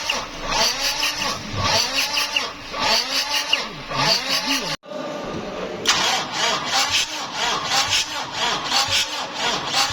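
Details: Toyota Revo 1KD diesel, 2020 model, died at 120 km/h with black smoke, no DTCs: slow labored cranking that sticks, turns two revolutions, sticks again and won't fire; hydrolocked with bent connecting rods.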